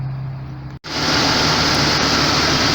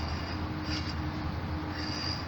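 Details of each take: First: 1999 Jeep XJ A/C after refitting clutch with surfaces cleaned and one shim removed: engine idles smoothly with steady compressor hum, no clutch chatter or grinding; A/C working well, previously clutch engaged intermittently. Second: 1999 Jeep XJ with a new Maxsam A/C clutch fitted with three shims and the nut not yet on: the hand-spun pulley gives a continuous scraping rub with an occasional faint squeal, dragging on the field coil.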